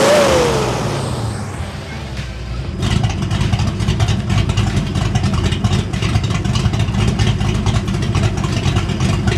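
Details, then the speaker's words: 1989 Ford Mustang GT V8 revved after new fuel system: deep even burble rising and falling with throttle, crisp response, no misses or knocks; running like a dream, healthy revving. "yeah essentially this thing is running like an absolute dream"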